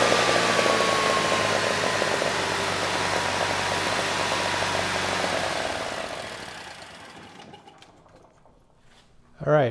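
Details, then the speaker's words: Generac standby generator, 999cc engine (0J9333) reported shutting down on low oil pressure, gauge showing 50 PSI and oil found low: even, steady run then smooth wind-down, no knocking; idle set screw can't hold throttle open enough. "that sounded pretty good."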